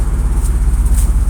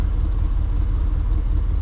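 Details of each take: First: 2001 Dodge Ram gas truck at warm-up idle, recorded beside the engine: fast, even puffing pulses with a sharp ticking edge on each firing from an exhaust manifold leak; a rear exhaust leak is also present, and the truck has been idling rough. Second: 2001 Dodge Ram gas truck warmed up, at about 40 degrees, idling nice and smooth as it normally does: a low, steady rumble with an even pulse and no stumbles; new IAC valve fitted, manifold and rear exhaust leaks present.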